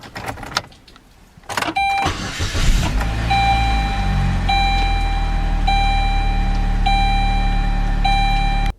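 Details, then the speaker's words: 2005 Saturn Ion 2.2L Ecotec after a click-only no-start with charged battery, good Bosch starter and verified engine ground: brief crank, catches and settles into steady low idle with door chime; starts fine, charging normal, cause never found. "the batteries charging just fine no problem found good battery good starter it's a mystery thanks for watching"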